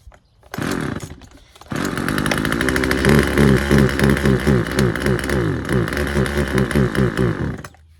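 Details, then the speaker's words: Husqvarna 136 chainsaw fitted with aftermarket Hipa carburetor: fires and runs with uneven lumpy low-speed burble, rhythm wandering; low-speed mixture needs a slight adjustment. "All right. Uh sounds like we got to adjust the low speed um setting on it just a little bit, just a hair, and I think we'll be good to go."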